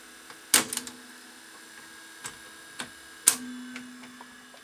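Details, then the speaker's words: Ferguson 3V22 VHS top loader (JVC HR3330 type, mk 3 mechanism) caked in dried, congealed grease from a previous repair: irregular clacks and short motor whirs with uneven pauses as the tape loads; mechanism not moving across properly. "see that's not moving across properly just tons of dried on Grease"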